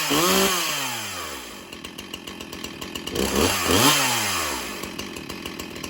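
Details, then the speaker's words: Stihl Farm Boss chainsaw revs up and falls back, with loud chattering chain ticks as it slows; chain is running on the wrong sprocket (a .325-pitch one), so it is not held wide open. "You hear You hear that loud noise? Do you hear that? That is the wrong sprocket that chain is setting on."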